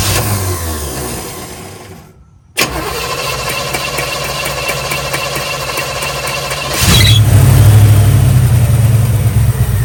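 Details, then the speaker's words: 1965 Chevy Nova wagon with a new Holley 450 carburetor, started without choke after cranking to refill empty bowls: a brief crank, then a steady, smooth, even idle that doesn't smell rich. "idling really smooth, and it doesn't smell rich at all. I like it."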